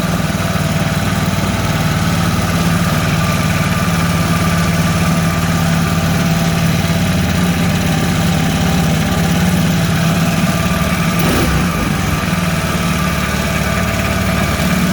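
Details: Mud motor (Mud Skipper Twister) on a 1648 boat, fitted with a welded-on Honda 300 muffler: steady low drone with a soft, muffled exhaust note and no harsh bark, much quieter than other exhausts; running normally.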